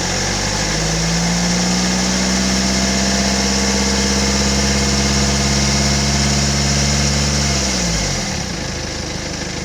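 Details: 2012 BMW 320d E91, N47D20C diesel, 185,000 km: steady hum at about 2000 rpm, then a strange rough, rattly noise as revs drop toward idle.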